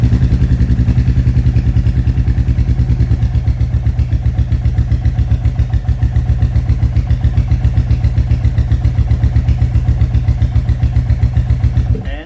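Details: Royal Enfield Classic 350 Reborn with newly fitted 410 big bore kit, second startup after exhaust remounted to fix leak, in neutral: even, steady single-cylinder thump at idle, about two and a half beats a second, no tick or puff; healthy.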